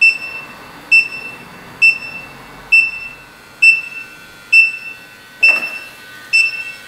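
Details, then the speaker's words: 2005 Chrysler Pacifica after A/C condenser replacement and recharge, leak detector checking fittings: sharp high beep about once a second, steady, never speeding up; no refrigerant leak found. "I think we're good there triggered off so it's pretty sensitive if there was any leakage there this thing would have went bananas"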